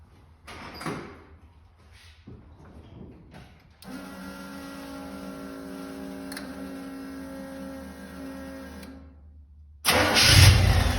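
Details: Engine with Holley Sniper EFI after sealing a front plate vacuum leak, before reprogramming initial setup: after handling noise it catches and settles into a steady, even idle with no hiss or stumble; runs normally.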